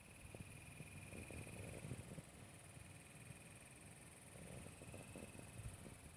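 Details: Zalman CNPS8900 Quiet CPU cooler: uneven low clattering rattle over steady high fan hiss and faint whine, starting after the PC's power supply and case were replaced during repairs.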